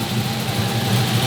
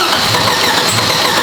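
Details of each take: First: G-body drag car with salvaged 6.0L LS V8, RHS LS3 heads, aggressive cam, FAST intake, mufflered exhaust, oil cap off as breather, fuel pump loud at rear: deep, choppy, steady loping idle with no ticking or knocking, normal. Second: G-body 6.0L LS V8 with RHS LS3 heads and race cam; coils, spark, fuel, air, grounds and tune already checked: big V8 lopes unevenly with missing, stumbling pulses, low compression from overlong pushrods holding valves open.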